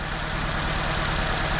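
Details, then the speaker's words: 2004 Nissan Sentra shaking: uneven, lumpy idle with periodic stumbles. No misfire codes, only an air-fuel ratio sensor code. Coils were unplugged one at a time; unplugging cylinder 2 made no difference, so cylinder 2 is the one misfiring. "feel the car is missing so we're going to try to figure out which cylinder is the one that's missing"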